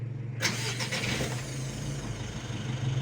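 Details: Mitsubishi L300 Euro 4 diesel during a dashboard indicator check: a short crank, then it catches and settles into a steady, even low idle with no knocks or misses, a normal diesel start.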